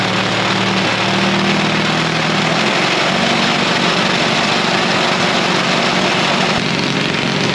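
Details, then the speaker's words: Pony starting motor on a late-1940s to early-1950s Caterpillar D6 cable dozer, sat in a barn for years, started with fuel on and decompression on: catches and settles into a quick, steady buzzing run with no misses. "start it up shut your fuel off turn off your magneto or whatever that's called and uh your engine this starts fuels on decompression's on this is on turn this should start"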